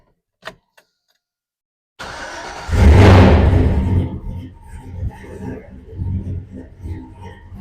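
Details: GMC C30 crew cab dually square body with LS engine swap, custom-grind Texas Speed cam and 3-inch exhaust, first start: short silence, engine catches with a loud rush, then settles into a lumpy, loping cammed idle; normal start and idle.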